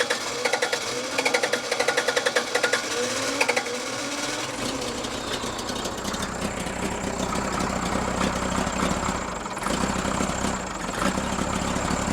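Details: Freshly rebuilt Cummins diesel in Case 1840 skid steer, new injectors, rebuilt injection pump timed 12° BTDC, injection system just opened: rhythm stumbles with uneven, lumpy beats as revs rise; misfire, balance test suggests cylinders 1 and 2 weak, cause unconfirmed.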